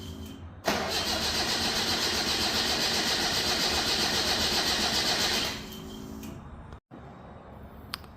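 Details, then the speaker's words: Datsun Roadster with EFI on 93 octane, cold start at ambient in the 50s °F: long even cranking at about four turns a second for five seconds, never catches. Tuner suspects not enough fuel when cold; hard cold start, lean mixture. "okay so that tells me that there's probably not enough fuel to get it started when it's"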